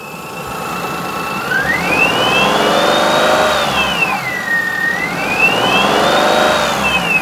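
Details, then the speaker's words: 2004 Perodua Kenari after timing belt and water pump change, running with lights, heater and heated rear window on: clear high whine rising and falling with engine speed, worse with electrical load; cause unknown. "We've definitely got that whine back, which weirdly seems to get worse with the electric load turned up. Very strange."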